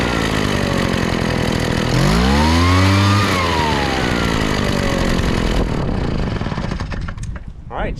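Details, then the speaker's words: Craftsman two-stroke backpack blower that poured raw fuel from the muffler, after carb repair (stuck metering diaphragm freed) and mixture readjusted from way too lean: revs up cleanly and settles back, no bogging or sputter; normal revving. "good so I think that fixed it apparently somebody had uh leaned the carburetor way out probably when it was flooding and they were trying to make it run correctly"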